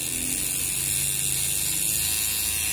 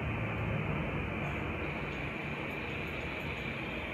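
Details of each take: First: Old tattoo pen being retired, running at its normal 7.5 V: harsh, high, constant buzz with a rattly edge, louder than it should be; owner cannot tell whether it comes from the motor or the mechanism. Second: New CNC Q2 short rotary tattoo pen, first run on a wireless power supply at 7.5 V, no needle fitted: soft, steady, very quiet whir with no knocks or rattles. Normal running.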